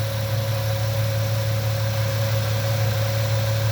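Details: 1998 Ford Mustang, first start after about ten years sitting, warming toward normal running temperature: smooth, steady low hum with an even beat and no knocks or misses; healthy idle.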